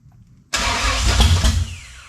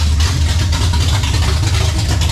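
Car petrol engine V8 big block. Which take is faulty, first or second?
first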